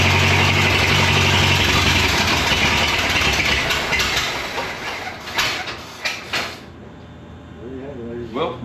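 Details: Rescued abandoned Ford Model T four-cylinder, back on gasoline after failing to run on moonshine: loud, even, brisk beat that stays regular before easing off; starts and runs normally.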